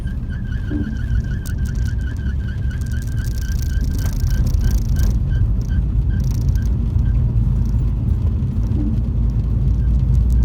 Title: MINI Belt Squeal